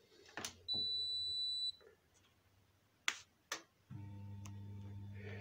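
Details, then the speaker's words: Indesit IWSD5105 washing machine, no error shown; beep, two clicks as door lock closes, then steady low hum with no water rushing in: no fill and no start, caused by the water supply tap outside the machine. "происходит такой вот замок закрывается машина гудит но вода не и не набирается и соответственно нету запуска"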